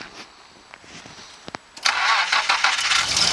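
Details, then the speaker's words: Cold start of a Nissan Hardbody pickup: a few clicks, then it fires right away and holds a steady, even idle with no stumble. Only a slight heater fan squeak. Normal cold start. "no problem it's not really even a challenge bit of a heater fan squeak but other than that yeah just fine man"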